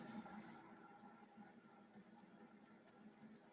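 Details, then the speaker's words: Air fryer running, timer set about 20 minutes: light even tick about four times a second over a soft rush of air; normal timer ticking while running. "it basically clicks that dial so you can kind of hear it and you know audibly that it's on, and you can also hear that air going through it, okay?"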